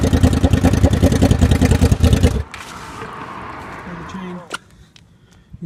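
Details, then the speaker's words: Honda VFR750 V4, cold, after swapping the two coil packs that were thought to be the wrong way around because one cylinder wasn't firing; crisp even exhaust pulses through a strong rev, then dropping away; now runs correctly, normal revving. "Big Team VFR now runs correctly. Fucking yeet."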